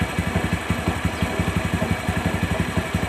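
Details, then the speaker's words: Bajaj CT 100 single-cylinder motorcycle at steady idle, pulsing about 87 times a minute, with a dry scraping underneath; mechanic suspects the worn 6003 stator bearing (otherwise the bearing behind the clutch housing), recorded before disassembly. "Pero para sa akin, may problema nito, yung bearing ng stator, yung 6003. Okay? Paandarin natin mga pre para marinig yung ingay."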